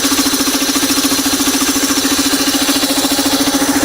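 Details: Old home-made air compressor with a 5 horsepower capacitor-start motor and tiny tank: steady pump thump a little over two beats a second with a clean motor hum; running normally and building pressure quickly.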